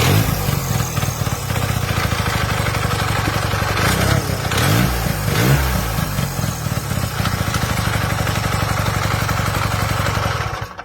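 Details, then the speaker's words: Hercules W2000 Wankel rotary motorcycle at idle: uneven loose clanking and clatter over lumpy rotary idle, sounds like it will fall apart; suspected to be the timing advancer built into the flywheel, greased lightly. "And that's why when you hear a W2000 at idle, sometimes you hear it clanking around."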